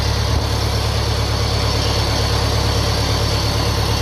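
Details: 1957 Ferguson FE35 TVO tractor first start after restoration work, in neutral, tickover unadjusted: steady idle thump about three beats a second with thin high whine on top; source unconfirmed, heard as carb-flange air leak.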